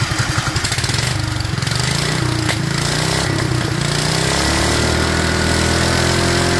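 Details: Duromax 18hp single-cylinder engine with a constant idle problem, running on its air filter; it won't start with the filter removed. Chuffing hunts and wavers, pitch drifting up and down without settling: unstable idle.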